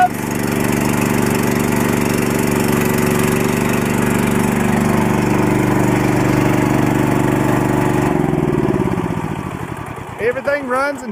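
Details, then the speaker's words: Mitsubishi 25–30 hp tractor swapped to a Harbor Freight 420cc engine, belt-driven: small single-cylinder engine runs smooth and even under steady throttle, then winds down cleanly at shutdown, runs and drives as it should: normal running. "drives as it should the little tractor really has it has done wonders since we've started this"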